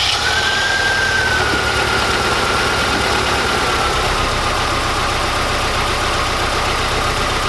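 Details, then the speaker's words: Mazda Miata at idle before polyurethane motor mounts are installed: a loud, rough idle with a heavy low shudder, the worn engine mounts letting the engine shake the whole car. "so the reason we're installing the motor mounts is because when I start the car the engine shakes a lot"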